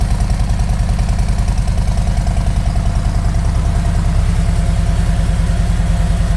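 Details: 2018 Harley-Davidson Road King Special V-twin, started after installing and programming a Vance & Hines FP3 fuel management tuner: steady deep lumpy idle with an even loping beat, no misses or stumbles; running normally.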